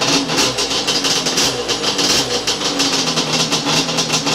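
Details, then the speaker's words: Yamaha Banshee two-stroke, freshly rebuilt drag engine with a lightened part and base timing set to 5 degrees, fired on the third kick: a crisp, quick, even popping idle that holds steady while warming up. Normal healthy idle. "That's snappy, baby. We've already got the idle set up and everything. Oh, that sounds so beautiful. Yeah! There it is. She's really good at idle, guys."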